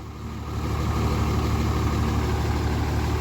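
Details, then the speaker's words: Cummins diesel truck with 48RE transmission at idle after torquing injector cross tubes found hand tight: even idle about three beats a second, very noticeably smoother, though a faint extra noise still rides under the rumble. "She's idling noticeably, very, very, very noticeably better. But I still hear a hint."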